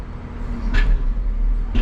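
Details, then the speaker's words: Caterpillar 926M loader with SnowWolf plow, operated from the controller: low, steady rumble with two sharp surges as the hydraulics strain and jerk the plow back and forth; cause unknown. "You can hear the hydraulics trying to work. And it throws it back and forth a little bit."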